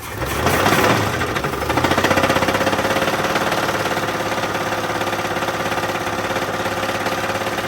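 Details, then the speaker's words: 1983 GMC S15 Jimmy 2.8L, not run in 15+ years with the passenger valve cover off, first start: rough idle with a heavy regular knock, about three a second, loud over the engine; a knocking rod is suspected. "yeah cuz I don't know what it sounds like over on your side but it's pretty loud on my side I think that's cuz there's a rod that's knocking on your side"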